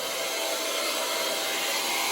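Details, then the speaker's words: Liberty transfer pump pumping down a leaking 40-gallon indirect water heater: steady loud high-pitched rushing whine, no low end or rhythm; sounds strained, probably from being run empty or dry too long. "Why Mike's Liberty transfer pump sounds like this, I have no idea. I can tell you that it's probably because they let it run empty for way too long, run dry, whatever."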